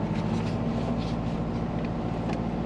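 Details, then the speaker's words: Compound-turbo Subaru Forester idling in park at about 1500-1600 rpm, a steady drone well above normal idle. The owner suspects a vacuum leak, as it also misses boost targets. "whoa this is when it's Park it's going to looks like 1500 1600 RPM"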